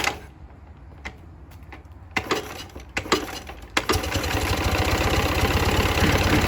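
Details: Ural motorcycle twin: after handling clicks, settles to idle with rapid, regular light knock about three per second; someone wonders if generator brushes at low revs; cause unconfirmed; engine knock at idle.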